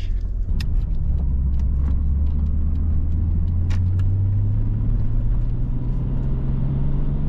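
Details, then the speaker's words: R32 Skyline RB25 turbo after new MLS manifold-to-head and manifold-to-turbo gaskets and split vacuum lines replaced: engine pitch climbs smoothly and evenly under acceleration with no squeaks or hiss, a clean pull. "but it pulls so smoothly now, and there's no more weird squeaky sounds."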